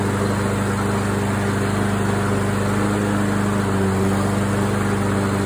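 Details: Craftsman AWD walk-behind mower after tune-up with carburetor cleaned and orifices blown through: small single-cylinder engine steady and even at governed speed, no misses, surges or knocks; sounds healthy, normal running.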